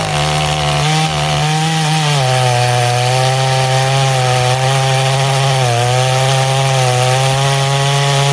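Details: Poulan 5200 chainsaw making test cuts: strong, steady two-stroke buzz that sags briefly as the chain bites into wood, then picks right back up; runs clean and healthy.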